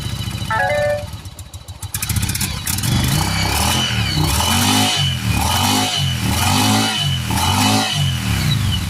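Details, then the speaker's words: 1996 Yamaha Virago 1100 V-twin, just fitted with a new battery, cold on choke: pops and stumbles unevenly, rough revs, misfiring and sputtering; fuel leaking, owner suspects a busted gas line. "Busted a gas line here, it looks like. No wonder why she's spitting and sputtering."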